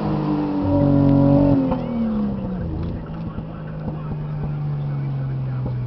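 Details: Nissan 240SX with RB25 engine under load: pulls strong, then breaks up around 5000 rpm and falls on its face; misfire caused by bad coil packs, fixed by replacing the coil packs.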